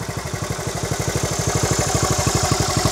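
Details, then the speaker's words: 1970 Honda Trail 70 after years stored, fuel lines and clamps replaced, oil clean but unchanged for years; crisp evenly spaced fast putts, no stumbles or knocks, normal running. "I put new clamps on it now she runs like a top just like she she did when I put her away"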